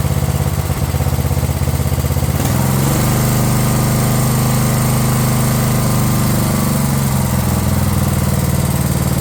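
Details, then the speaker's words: Craftsman LT1000 riding mower small single-cylinder engine with high compression, cranked on a used starter after carb and other repairs; catches and settles into a steady even run with brief rise in speed; normal running. "Funny just how much a machine can change just by just running better. This thing seemed like an absolute pile of crap before, but now that it actually runs half decent, it seems like it's ready to sell already."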